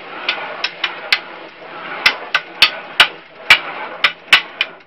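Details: Rhythmic sharp knocking, about two a second, from the rear hub or rear bearings of an ElliptiGO elliptical bike, heard only when pedaling backward; it stops when pedaling forward; exact source hard to pinpoint.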